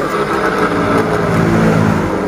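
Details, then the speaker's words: Honda Beat DX 2020-2021 scooter, engine off, rear wheel turned by hand: continuous rough, gravelly srok-srok whirr from the CVT; worn pulley bearing suspected at 90%, with no effect on riding yet. "Baik, di sini sudah mengalami bunyi kasar seperti bunyi srok-srok bunyinya ya teman-teman. Pada bagian CVT pada saat roda belakang diputar, sepeda motor off ya."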